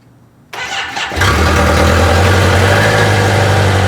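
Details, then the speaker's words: Motorcycle with a low battery, cranking too slowly to fire, jump-started from a Duracell DRLJS20 jump starter: brief starter whir, then it catches and settles into a steady, even idle with no misses or knocks; normal healthy start. "Alright, try it out. Oh yeah, that sounds better."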